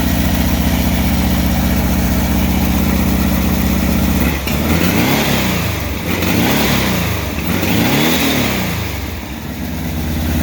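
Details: Fresh VW 1600 single-port flat-four, EMPI GTV tribute, on its warm-up cycle with distributor timing not yet set: a steady even idle, then quick throttle blips rising and falling cleanly with no misses or knocks; healthy.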